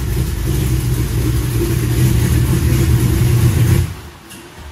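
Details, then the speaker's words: Custom V8 Corvette (Skullclops) on first test drive before a road trip: loud, uneven, lumpy V8 rumble under light revs, running rough and not firing cleanly; cause unconfirmed. "well let's see what the oh sounds like they're not running very good oh that's not [Music] good"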